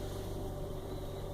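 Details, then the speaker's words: Hyundai Creta automatic transmission on a morning cold start in the garage, shifted through reverse, neutral and park: quiet steady hum with a faint constant mid-pitched whine; dealer technician calls it normal, owner suspects the transmission hydraulic pump. "vou ligar ela neste momento para vocês perceber o barulho que ela tá fazendo no câmbio e o técnico da hyundai falou que esse barulho é normal eu acredito que não é"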